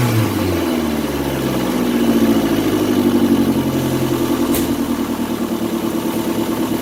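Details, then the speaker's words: 2002 Kia Sportage after valve cover gasket and spark plug change for a misfire, exhaust pipe not yet installed; idling and blipping with raspy puffing chuff rising with revs: multiple exhaust leaks. "I don't have my exhaust pipe installed yet. And well, as you can hear, even with a hose hooked up, still wouldn't have mattered as many exhaust leaks as it got."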